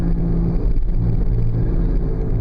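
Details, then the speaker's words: 2000 Oldsmobile Silhouette minivan while driving: low steady droning hum under road noise, louder as speed increases, briefly fading in a left bend; worn front wheel bearing hub assembly, later replaced. "you're hearing it louder as I as I increase speed so when you have a noise like this you have two options figure out what it is and fix it"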